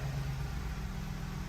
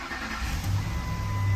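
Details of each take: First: Ford F-150 5.4L 3V with fuel trims reset and relearning: starts nicely into a smooth, even V8 idle with a steady low rumble and no popping, stumbles or misfires. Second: 2008 Ford F-150 5.4L 3-valve V8, about 150,000 miles, cold start after a timing job: high cold idle with an uneven low pulse. Power balance shows cylinders 5–8 weak on bank two; timing error suspected; bank two misfire.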